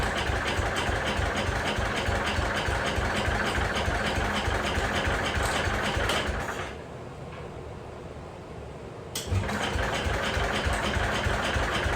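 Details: Jacobsen Chief 1200 single-cylinder engine, started with choke and a little throttle: a quick, regular putter of about three beats a second with a brief quieter dip, then a steady run; running fine.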